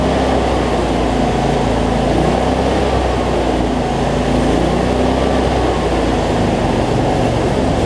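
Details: Cub Cadet zero-turn mower, Briggs V-twin, after fixing something too tight that made the governor race; no black smoke from rich running now; steady, even drone, no hunting or racing; normal running.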